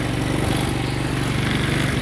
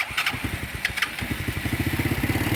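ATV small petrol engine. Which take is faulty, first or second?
first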